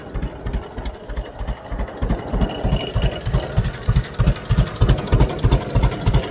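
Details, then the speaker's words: Newly bought two-cylinder tractor in neutral, throttled down to its lowest idle. Slow, even chug at about three beats a second, steady and unhurried; a healthy low idle. "but yeah I want people wondering how low she can go that's clch wrong thing that's about as low as I can get her to"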